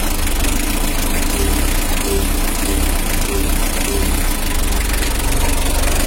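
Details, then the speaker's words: Mitsubishi L300 diesel after engine rebuild, 14B rotor head fitted and leaking exhaust repaired: low, even idle with light regular clatter, no misses or knocks, smooth like new with solid compression; normal diesel idle. "Oke sudah selesai jalur suaranya Udah halus kayak mobil baru karena kita pakai dan kompresi pacar"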